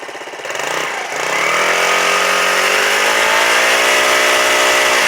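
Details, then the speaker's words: Quad after carburetor idle-circuit cleaning, brake safety switch replacement and rev-limiter removal: starts, briefly rises, then settles into a steady, even idle with no surging. Idle previously hunted; now normal smooth idle. "So, but now you hear it. Nice smooth idle."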